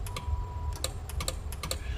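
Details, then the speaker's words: Browning Golden Eagle Mark III-style CB/ham tube amplifier, powered up after finding a cooked 100-ohm resistor: sharp irregular clicks, about a dozen in two seconds, over faint hum; relay chattering, cause unknown (owner suspects reversed wiring or poor connection). "see if we can hear a relay dude here really that's a good sign"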